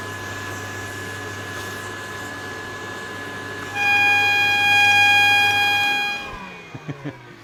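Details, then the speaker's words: Refurbished Electrolux Z504 vacuum cleaner, 450 W; steady motor hiss, then a clear high whistle for about two seconds before shutdown; the bag-full indicator whistle is working. "and even the bag full our whistle is working as well if see if you can hear it"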